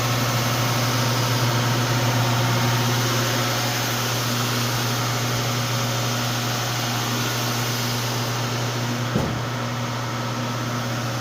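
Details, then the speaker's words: Wide belt sander with air-tracked belt, final 180-grit pass on white oak panels: steady low hum with an even airy hiss from air passing the belt-tracking sensor, no knocks or rubbing; running normally. "it's got a belt inside that is tracked by air so if you hear it you'll hear a little bit of hissing and that is air passing by a sensor that reads the belt as it tracks"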